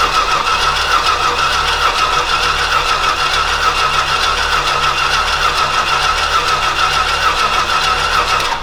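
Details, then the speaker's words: Old Stewart & Stevenson aircraft tug, smoky after briefly running: long, steady cranking with a loose, uneven beat that never catches into a run; turns over but won't fire. Cause suspected, not confirmed. "well krap Skies why is it not going"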